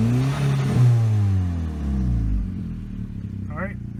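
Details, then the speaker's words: 2007 VW Jetta 2.0 turbo with earlier misfire codes, after a tune-up with coil packs, spark plugs and high-pressure fuel pump cam follower: it catches, revs, then settles into a steady, even idle with no misfire stumble or knock. Normal idle and revving. "that sounds much better than it did before so we have that going for us all right so sounds like it's running much better"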